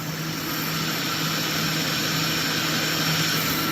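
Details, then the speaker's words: Car suspected of engine knock, listened at the block with the AC engaged: steady hum under hiss, knock gone; noise traced to the AC, engine block quiet and healthy. "look at that it ain't making a noise anymore let's go ahead and touch the block again because if it's the block that's knocking you're gonna hear that same sound again"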